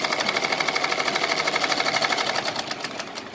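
Even, quick stitching at about three stitches a second, slowing smoothly at the end; the machine runs freely with no binding.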